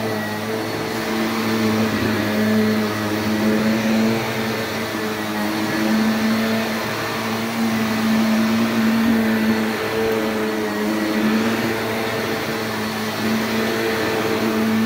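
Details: Shark NV355 upright vacuum bought in 2018, about 3 years old, with suction control fully closed, loud, picking up debris; constant high-pitched motor whine and steady airflow rush until switch-off, no rattles; normal running.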